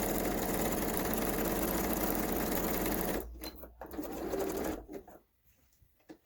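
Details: Kenmore 385-19550 sewing machine being tested after repair of wrong pattern stitches and speed control, speed adjustment screw centred: quick, even whirring about three seconds with steady stitch rhythm, no knocking or rubbing, then stops; runs smoothly.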